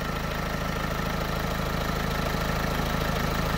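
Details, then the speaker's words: Renault Twingo 2 1.5 dCi with replacement engine, after swapping the faulty high-pressure fuel regulator that caused unstable idle and stalling: steady, even diesel idle on all four cylinders, low regular clatter, no hunting. "la voiture elle tourne impeccable donc là la voiture elle tourne elle tourne en 4 cylindres le ralenti est devenu stable"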